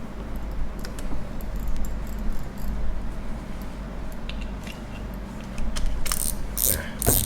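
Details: Daiwa Revros LT 4000/6000H (2019/2020) spinning reel after bending the clicker wire spring to fix a quiet clicker: light irregular clicks over low rumble, sharper near the end. Finding: normal reel clicker.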